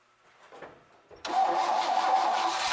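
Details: 1966 Chevrolet C20, Chevy 292 six, first start after timing backed off: brief quiet crank, catches at once and settles into a fast, even idle with a steady mid-pitched hum. Oil and generator lights out. Engine start.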